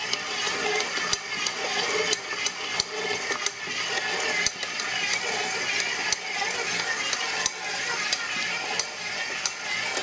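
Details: Brand-new KitchenAid ProLine 7-qt mixer: sharp, irregular clicks about once a second from the gear assembly, louder than the mixer's hum and the mixing itself.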